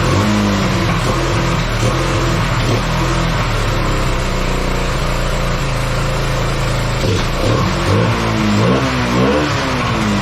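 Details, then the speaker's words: Kawasaki Bayou 220 ATV that sat eight years, after freeing the throttle and oiling the cylinder: steady single-cylinder beat picking up cleanly on throttle blips, somewhat smoky, starts right up; normal running. "oh well all right sounds like it runs just fine um it's almost like it was clearing itself up um but Smokey in here um yeah should run fine now um yeah starts right up"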